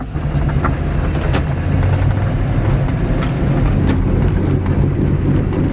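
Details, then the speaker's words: Worn wheel bearing hub assembly, on the side opposite the one being shown, heard while driving: steady low drone under road noise that follows road speed; wheel bearing noise, hub to be replaced. "Oh yeah, that sounds awesome. I love it. We're gonna fix that. Wheel bearing hub assembly there."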